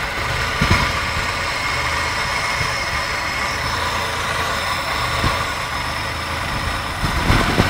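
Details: 1994 Isuzu Trooper at idle: uneven with occasional stumble and thump breaking the steady beat; misfiring cylinder, cause not known.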